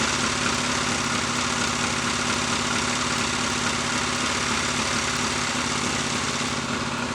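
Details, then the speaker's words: Lightly customized Triumph T140 Bonneville twin, first start after hot-wired ignition, held at low revs while oil scavenges from the wet-sumped crankcase: even, clean idle with soft regular exhaust beat, strong constant oil return, no smoke; normal idle. "the oil is returning very strong that's good and the flow is constant so that's the uh oil pump working over time"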